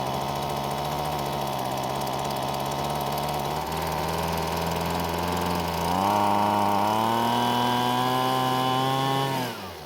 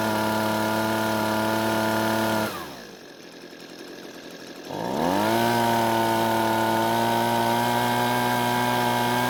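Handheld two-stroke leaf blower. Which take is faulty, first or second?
first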